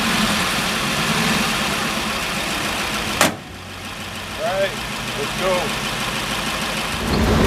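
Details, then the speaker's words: 1934 Ford dually truck after a Stromberg 97 carburetor rebuild for a failed accelerator pump: steady, even rumble with one sharp click and no misses; running better than it has in a long time; normal running. "This baby is running good. Better than it ever has in a long time."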